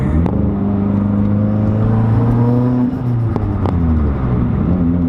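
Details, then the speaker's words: Mitsubishi Evo X under boost: wavering, fluttering tone over the exhaust drone; turbo surge, owner suspects a stuck wastegate and plans to oil it and clean the blow-off valve and check lines. "sounds awesome but it's not supposed to sound like that"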